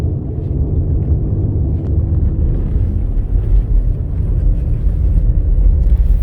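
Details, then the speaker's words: 2017 Buick Enclave with 130,000 km, both front wheel bearings previously replaced, on a road test. A steady low hum from the rear at 55–60 km/h on a snow-covered road, so not tires; it seems to come from the rear, suspected rear wheel bearing. "so i can hear a hum at 55 to 60 kilometers an hour and i'm driving on a snow covered road so it's not tires appears to be from the back"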